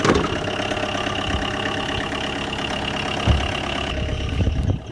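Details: Tata Indigo diesel cold start after 5 years of storage, after priming with the lift pump: catches and settles into a lumpy, uneven idle with deep clatter and a dip near the end; rough idle after long storage.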